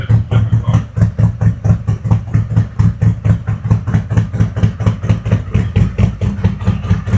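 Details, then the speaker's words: 2021 Harley-Davidson Road Glide 114 after a CR483 cam install with ThunderMax EFI, Trask header, S&S intake and 5.5 injectors; the mufflers took on a different tone. Loping, choppy V-twin idle at about two pulses a second; the cammed engine runs fine. "mufflers took over a totally different tone."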